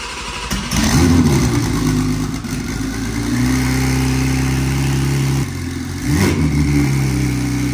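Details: 1500 HP G80 M3 build, first start on the built engine and transmission, with a new radiator and no fan plugged in. It fires quickly, revs, then drops to a steady, even idle with a deep smooth note; nothing untoward.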